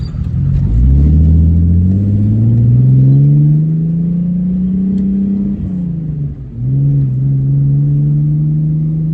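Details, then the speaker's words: BMW E36 on a test drive after new gearbox mounts and an air/fuel filter adjustment: the engine pulls, then sags and stumbles briefly under acceleration; a fault code reports cylinder one running lean; cause unconfirmed; hesitation persists. "Yeah, so unfortunately, it's still breaking up. Not if you can hear it. There it is."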